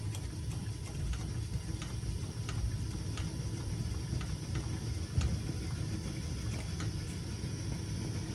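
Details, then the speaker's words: Coleman Peak model 400 liquid-fuel stove after pumping, flame turning blue: low rumbling roar with faint irregular puffing as the burner chugs while its generator warms up. "You can hear it chugging now. It's really starting. I don't know if you guys can hear that, but it's chugging away."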